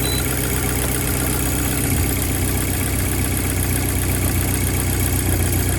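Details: VW MK5 GTI TFSI after replacing the part that cured a severe shaking misfire (plugs, coils, injector already changed): steady, even idle with a deep smooth hum and no stumble or misfire pulses; normal idle.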